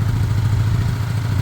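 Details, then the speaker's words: Small single-cylinder Chinese 125 motorcycle (Lexmoto Michigan or Herald Classic 125), just started after earlier no-start trouble (spark good, fuel suspected). A steady low hum with an even quick pulse and no clatter. It is a normal, clean idle. "all right that's not bad not bad"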